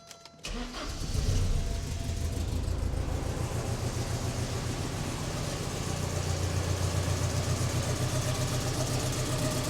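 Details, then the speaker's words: Porsche 944 with the cylinder 2 injector deliberately unplugged: it starts and settles into a lumpy, uneven idle with a steady stumble in the beat, one cylinder dead. Dead miss. "obviously we have a dead Miss because this injector is not running"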